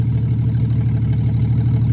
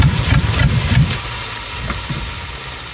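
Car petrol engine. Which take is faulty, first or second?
second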